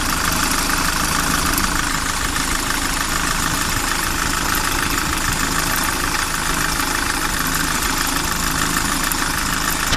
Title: Кайрон посторонний звук в двигателе